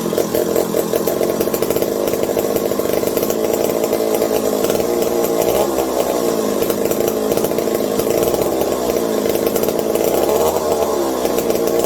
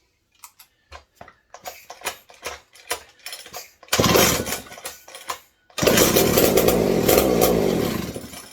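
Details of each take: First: McCulloch 740 two-stroke chainsaw after coil gap fix and swapped spark plug replacing flooded one: even sustained high buzz, steady crackle, no sputtering; linkage holds about quarter throttle, owner fears lean running/air leaks; normal running. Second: McCulloch 740 chainsaw, no exhaust fitted, good compression, fed via primer bulb: loud two-stroke runs ragged with an occasional dropped beat, about one lost spark in twenty; owner suspects intermittent ignition, heavy smoke.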